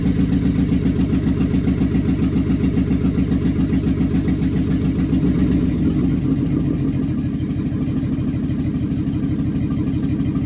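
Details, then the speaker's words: Used marketplace 6.0L LS V8 on an engine stand with a standalone harness, at its first fire-up. Even, rapid exhaust pulses hold a steady idle with no knocks or misses. Oil pressure is unverified and a little smoke was noted. Normal idle. "Success. That wasn't that loud. First time."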